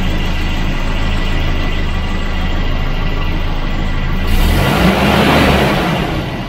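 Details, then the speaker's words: Volvo Redblock B230 four-cylinder (240/740/940), the quiet engine: even, steady sewing-machine purr at idle with no knocks or misses; smooth, healthy idle. "it's like a sewing machine isn't it it's got such a smooth idle"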